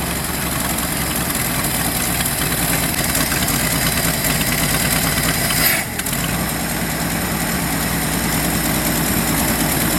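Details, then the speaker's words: 1977 Ford F350 dually tow truck, long-sitting estate-sale find, exhaust and oil leaks burning off: the old inline six idles steady and even with no knocks, misses or rattles; a bad accelerator pump or clogged jets are suspected for its acceleration stumble. "So what we got this thing to idle pretty good, but we've got, I don't know, clogged jets or a bad accelerator pump, probably a bad accelerator pump."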